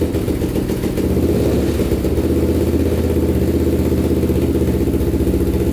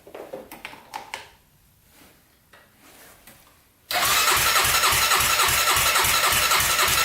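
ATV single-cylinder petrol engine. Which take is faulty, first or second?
second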